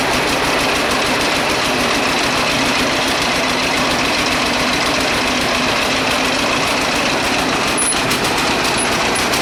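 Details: John Deere A two-cylinder tractor, started without a battery, idles slowly and well but with a loud, regular hammering knock at every firing beat, like hammers on the block; bottom-end problem such as a main bearing suspected, not confirmed.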